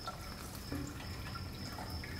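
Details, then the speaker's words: Ford 8N/9N/2N tractor hydraulics: pump lifts arms with no load, but arms drift down, more under pressure; faint dripping and trickling over engine rumble as oil leaks back internally, fault in top lid piston, cylinder, gasket or tube, not yet known. "can definitely hear that oil moving which is the indication that there's a problem in the top whether that's the piston the cylinder a problem with the top lid gasket or that tube we don't know yet"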